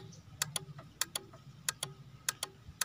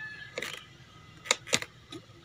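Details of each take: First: Honda Beat injection scooter that won't start, with no spark from coil to plug and no fault code: pressing the starter with the key on gives sharp paired clicks about every 0.6 s over a faint hum. The black relay is chattering. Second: Honda Beat FI (injection) scooter that won't start, with no spark from coil to plug and no fault code on the indicator lamp. At key-on with the engine off, a few sharp light clicks. Normal injector click showing it is getting current.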